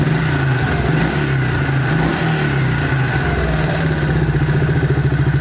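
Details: 1998 Suzuki Quad Runner 4x4 after reattaching a knocked-off vacuum line at the airbox; cracked boot noted: steady, even single-cylinder idle at a constant rate with no hunting or stumbling; normal idle.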